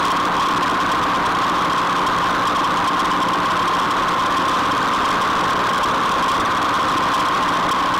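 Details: Rotary mower gearbox after repair and oil refill, running at full tractor PTO speed as a test. A steady, even drone with a constant mid-pitched hum and no knocks, clicks or grinding; the gearbox runs smoothly and normally.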